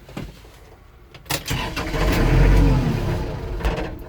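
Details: Kubota L4330HSTC hydrostatic tractor after stalling: short starter bursts then a rising low rumble that never settles into a steady run; fuel filter changed and bowl cleaned, cause unknown, owner suspects a switch.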